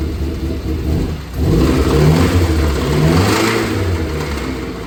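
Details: 2008 Dodge Caliber SRT4 engine revving with a rough, uneven knocking rattle from the front. The cause is unknown; the owner suspects the timing chain or a bearing.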